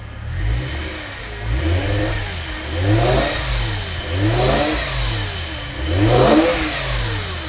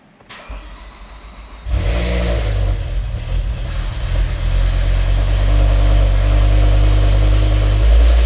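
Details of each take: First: Revived E60 BMW M5, S85 V10, 6-speed manual, salvage car with a previously locked engine, just after first start: gentle blips settling back, steady even firing with no knocks or misses; runs smooth, no check engine light. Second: Revived E60 BMW M5, V10, 6-speed manual, salvage car with a previously locked engine: cranks, catches and settles into a steady idle with a constant whine over it from a noisy power steering pump; no check engine light.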